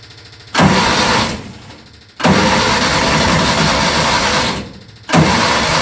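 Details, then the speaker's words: Junior Micra stock car hard to start after engine refit, clutch adjustment, secondary fixings on fuel pipe and throttle return springs: two long cranking bursts with a roaring fade, won't catch; it's flooding, cause unknown, eventually starts. "so for some reason the are it's flooding come [Applause] no good okay it's quite successful eventually no idea why it's flooding to start with"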